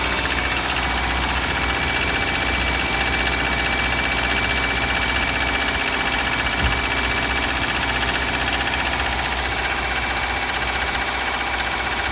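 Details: 2003 Subaru Forester EJ201 at 187,000 km, cold start after three days parked at -3°C: steady, fairly even metallic knock near four per second at idle. Cause not yet found.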